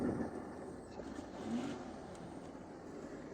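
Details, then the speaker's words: 1987 Lincoln Town Car 5.0L Ford EFI V8, revived after sitting nearly a decade: uneven, lumpy idle, running very rich and surging. "It's running horrible. Very rich."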